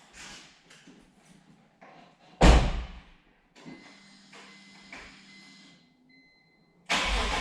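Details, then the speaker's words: BMW S54 engine, lukewarm, first start after a dual section 1 resonator delete exhaust mod, recorded about 20 feet away: brief crank, sharp catch, then a steady, even idle. The exhaust sounds healthy and quieter than before. "call me crazy but i think it's a lot quieter and i'm into it"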